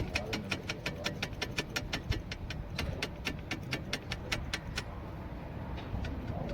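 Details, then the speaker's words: Front disc brake calipers with loose slide pins and bushes: fast, sharp metallic clicking about five times a second over low road rumble, a strange, dangerous-sounding rattle easily mistaken for worn suspension parts. "Friends आप चेक कर सकते हैं कि कैलिपर्स के जो बुश होते हैं, जो पिन्स होती हैं, ये जब लूज़ हो जाती हैं तो इस तरह की बहुत अजीब किस्म की और बहुत ख़तरनाक किस्म की आवाज़ आती है,"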